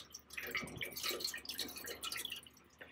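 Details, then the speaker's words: 1962 Austin Healey Sprite Mark II after long sitting, filled with water to test cooling system, engine off: uneven drips and splashes as water pours from a split, apparently recently replaced bypass hose beside the water pump. "okay i am starting to hear it leak from somewhere [Music] there's water pouring out of the bottom of the car it's leaking out of the bypass hose"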